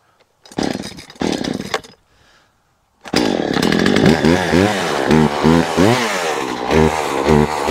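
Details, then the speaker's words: Poulan Pro two-stroke chainsaw, about 12 years old, after a season clean-up, started to fell a tree. A couple of starter pulls, then crisp revving bursts with no misfires and a liked popping sound: healthy. "how long did that take not very long love that popping sound it made"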